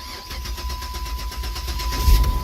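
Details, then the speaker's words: No-start car after a new fuel pump was fitted and the fuel system primed: brief crank, then the engine catches cleanly and settles into an even idle; it now starts and runs normally. "there you go we are running ladies and gentlemen all"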